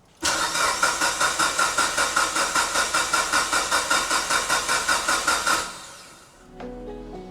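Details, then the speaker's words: Mitsubishi Evo 9 cranking after a timing belt replacement: even starter pulses for about five seconds with no catch; weak cranking and no start because the battery is drained. "Mhm. Not enough juice. God damn it."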